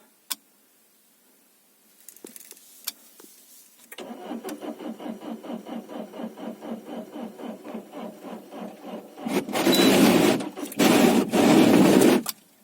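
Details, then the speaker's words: Diesel 2.0 HDI with discharged battery (about 11.5 V), cranked using a fully charged jump-starter booster rated 16000 mAh: sluggish cranking about three beats a second, never catches; booster too weak, slow cranking, no start. "No, coś booster sobie nie radzi. Jeszcze raz spróbujemy. Był w pełni naładowany."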